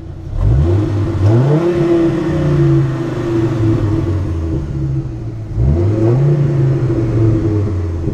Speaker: i'm gonna rev it up for you and see let y'all see what it sounds like sorry for the wind noise if there is